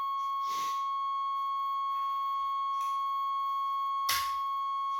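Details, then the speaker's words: 1989 Chevrolet Suburban, 350 TBI with 700R4, sat 15 years: a steady high buzzer tone sounds as soon as the battery is connected, showing the old wiring still carries power. "Well, we got a buzzer. That's a start. That means something's connected yet. Rats didn't chew everything up."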